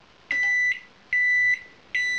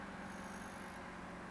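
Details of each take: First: есть получается приборная панель у вас работает кнопки все работают дверка открывается закрывается все в порядке но здесь пищи что работает сейчас я включу фонарик чтобы лучше видно было этот вентилятор не крутится трансформатор не гудит магнетрон не не фурычит Second: Digital microwave oven after repair of the door switch, heating for 10 seconds with the turntable spinning: a steady, even low hum with soft fan rush, working normally.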